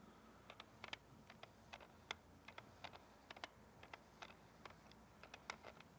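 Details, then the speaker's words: Nikon 70-200 F-mount lens on a Nikon Z camera via the FTZ adapter, held up to the microphone: sharp irregular clicks and ticks, several a second, from the older focus motor hunting, much louder than a native stepping motor. "that clicking noise is not me that's the lens that that horrible horrid noise that I'm not used to"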